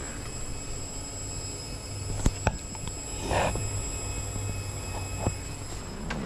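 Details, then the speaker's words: BMW N54 during a failed MHD flash from an iPhone, engine off: steady high-pitched whine of the low-pressure fuel pump running flat out nonstop; owner suspects the pump, possibly an aftermarket unit, may have died. "i've just come back and the low pressure fuel pump is screaming doesn't sound good the low pressure fuel pump"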